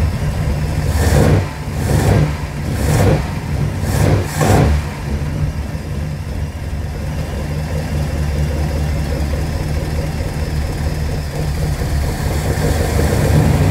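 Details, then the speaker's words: 1969 Mercury Monterey 390 V8, first start in 16 years, carb primed, temporary fix: catches and revs, then steady even idle drawing fuel from tank, no ticks or knocks; transmission later found without fluid. "she's idling without a problem um obviously pulling fuel um because it's running on its own um there's no noises in this engine there's no ticks there's no knocks no nothing like that"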